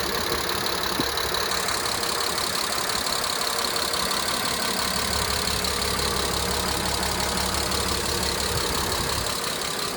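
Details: Mercedes W202 C280, M104.941 engine, 193k km, after timing chain, tensioner and head gasket replacement, on 10W40 oil with lifter additive. A fast, light tick about three per second over a smooth idle follows engine revs from start-up; owner suspects a lifter.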